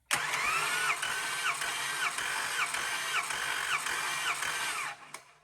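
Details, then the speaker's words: Compression test on cylinder 1, cranked by jumping the starter solenoid for 5 pulses at roughly a hundred per minute. The gauge read 40 psi on the first pulse and 145 on the last, so the engine is somewhat tired: low first-stroke compression. "So my engine's kind of tired, because if you had a brand new engine, that first compressi"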